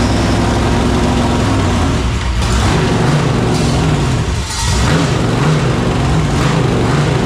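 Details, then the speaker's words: Newly installed V8 in a fresh chassis, first fire-up with header off, fuel system new and possibly not yet primed: loud raw V8 running unevenly, pitch wandering and surging before faltering; rough running, suspected fuel priming. "that sounds weird with that header off there it's got to be the fuel it's got to be just not primed up yet"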